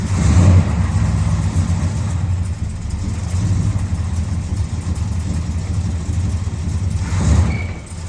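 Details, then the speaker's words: 1972 Oldsmobile Cutlass big-block V8, off the road since the 1990s, at revival start: rumbles unevenly at idle with a couple of blips, then sags and dies because the fuel pump came off the battery; engine stall from fuel pump power loss. "all right it died but that's because the fuel pump came off the battery"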